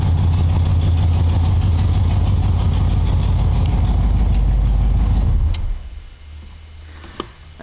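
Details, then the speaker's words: 1976 Chevy Nova with a 327 L28 block, Performer intake, Edelbrock 4-barrel and TH350, on a loud steady V8 idle: quick, even ticking about three times a second from a hole at the header base, an exhaust leak still to be welded. "you can hear i have an exhaust tick at the base of this of these headers i have a hole i gotta weld shut still"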